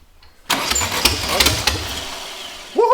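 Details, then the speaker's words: Sand rail with a newly installed engine, primed with fuel: starter churns, then uneven coughing pops that never settle into a run, because two spark plug wires are on the wrong cylinders; it runs once they're corrected. "These two spark plug wires are on wrong."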